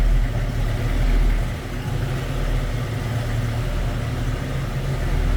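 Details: 1968 Chevrolet C10 Stepside small-block V8 with electric fuel pump: deep, even rumble at steady idle, no misses or knocks, settling in smoothly; normal idle.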